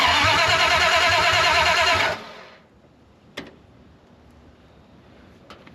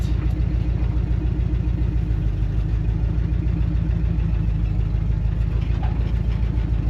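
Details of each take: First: 1974 Dodge W100 Power Wagon, first start after sitting 41 years, open headers, new computer fitted: steady cranking about three turns a second; it catches briefly only as the key is released. Owner suspects the ignition switch, possibly the new computer. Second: 1974 Dodge W100 Power Wagon V8, about 76,000 original miles, parked since 1983, cold start: steady, even idle with a deep, regular exhaust pulse and no misses or knocks; exhaust in poor shape.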